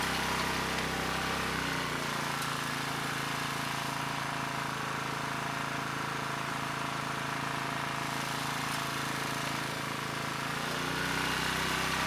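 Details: ETQ 2700-watt brushless generator, no load, after carburetor rework: surging cured, but a steady, even drone pitched high at 70 Hz; even with governor spring tension fully backed off it keeps overspeeding.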